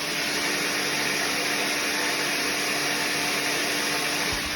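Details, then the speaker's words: 20–30-year-old Premier 556 pool pump after a bearing replacement that fixed a train-like noise, seal still dripping: smooth, steady, quiet motor hum with an even airy whir and no grinding or rumble; normal running. "Oh, isn't that a nice noise? Isn't that quiet?"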